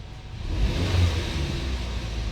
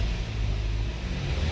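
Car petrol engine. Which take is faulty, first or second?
second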